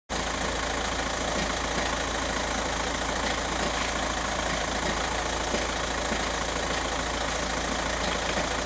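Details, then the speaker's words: VW TDI diesel idling, heard from underneath the car: loose, uneven rattle over the steady clatter from a worn dual mass flywheel, later found twisted after transmission removal. "hear that rattling right I don't know how much you could hear that but that's a dual mass flywheel rattling okay"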